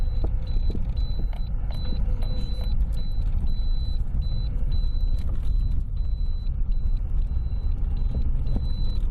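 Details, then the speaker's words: Lada Priora knocks over small bumps; the owner suspects the steering rack, which was never adjusted and would not tighten. Deep road rumble while driving, with scattered dull knocks over small bumps, consistent with worn steering rack bushings. "ну вот слышно было очередной стук такой нехороший сейчас полезем смотреть будем выяснять что у меня стучит и так где же у меня стучит появился стук застучало меня рейка скорее всего"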